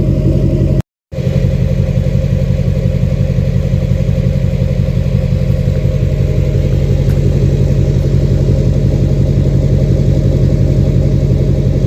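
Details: 2006 Chevy Silverado LBZ Duramax diesel, DSP5 tune (tunes 2 and 4 give ~10% vane position for rumble), new 5-in exhaust with minimal Diamond Eye muffler: deep steady rumble, even low throb, no knocks or rattles; normal loud idle.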